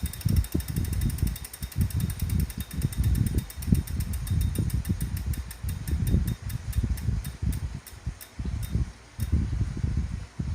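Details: Wahoo smart trainer still noisy after cleaning, after 30 minutes warmup: deep droning rumble surging with pedal strokes plus faint fast ticking; trainer running rough.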